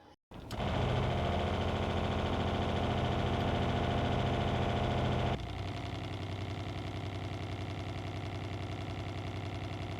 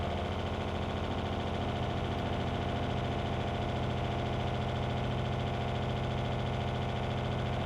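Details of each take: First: RV water pump in a Brinkley Z 3100, before and after installing an Intelligent RV Water Pump Controller: steady pump drone that partway through drops to a softer, smoother hum with less buzz and vibration; pump running quietly and normally. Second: Loud vibrating RV water pump in a Brinkley Z 3100, mounted to the basement ceiling/RV floor so noise reverberates; steady loud buzzing hum with fast pulsing throb about two beats a second, before installing IRVWPC controller.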